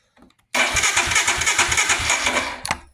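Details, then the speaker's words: 2022 Royal Enfield Himalayan with intermittent no-start, sat overnight, fuel pump connector unplugged to relieve pressure before pump replacement: starter cranks about three even beats a second for two seconds, never fires; no fuel delivery, as intended. "So there, that's that. Bike does not start."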